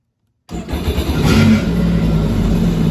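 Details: 2023 Sea-Doo Spark Trixx at 10 hours, after a crank-no-start fix with parts bolted back to torque spec: silence, then the engine catches cleanly, revs up and settles into a smooth, even run; starts and runs normally.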